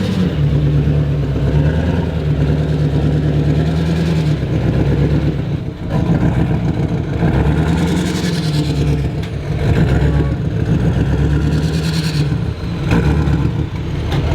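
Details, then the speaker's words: Duramax diesel broken down on highway shoulder at idle, white smoke and oil pouring from oil cap/PCV: loud, lumpy rumble surging and sagging, sounds down a cylinder; rings or head gasket suspected, unconfirmed. "She is pumping white smoke out the oil cap like crazy at idle. It sounds like it's running down on a cylinder."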